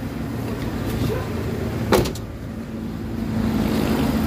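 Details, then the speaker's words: Mitsubishi Adventure gasoline 4G63, left sitting for months with electrical and ECM faults, idling after its repair: quiet, even idle with a steady low hum and one brief click, smooth and strong running. "Ayan naririnig yung makina. Tahimik."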